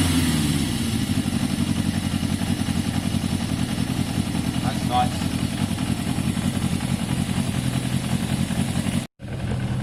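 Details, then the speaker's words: Yamaha XJ550 motorcycle warming up after carb cleaning: smooth, regular idle pulse holding steady throughout; slightly smoky from carb cleaner, idle judged a touch low; normal warm idle. "There, you can see it's warming up, you can hear it. It's revving very strong."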